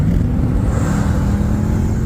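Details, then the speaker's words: Jeep Grand Wagoneer, all-wheel drive, with aftermarket exhaust, accelerating: deep, even exhaust roar building smoothly with no knocks or rattles; engine sounds healthy. "Oh, she's healthy, man. Very healthy. And she launches."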